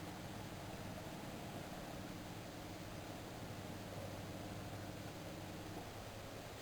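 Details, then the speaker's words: 1999 GMC Sierra 3500 diesel, 182,928 km, new lift pump and glow plugs, key on before a cold start with the wait-to-start light cycling. A faint, steady electric hum with the engine off. The lift pump is priming normally. "I'll try and prime the fuel system here. You can hear the lift pump running."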